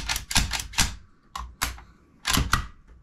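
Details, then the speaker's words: Browning BAR .308 (7.62x51) rifle after disassembly and cleaning: sharp metallic clacks in quick pairs as the bolt runs back and slams home cleanly, with no grinding; the action cycles normally. "but it all looks good functioning just fine everything's nice and clean and slickery"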